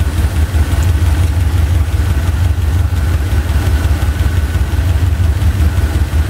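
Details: Chevy 350 V8 idling during driver-side valve lash adjustment: steady idle with a quick light clacking over it, about three a second, from loose valve lash, stopping once each rocker nut is tightened.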